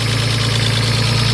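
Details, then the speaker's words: Nissan R32 Skyline RB20 first start after install, one charge pipe and air temp sensor missing: steady deep idle with fast light ticking; noisy injectors, otherwise running good. "there we have it Christmas day starts [Music] and she's running good noisy injectors by the time of"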